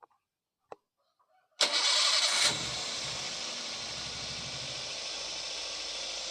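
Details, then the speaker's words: Daihatsu Gran Max engine after valve clearance adjustment: it starts cleanly and settles into a quiet, steady idle with no rough clatter. The earlier rough noise came from valve clearances that were too loose or too tight; the idle is now normal. "agan2 sudah berbeda dari suaranya yang tadinya atau kasar Tapi sekarang sudah kembali standar"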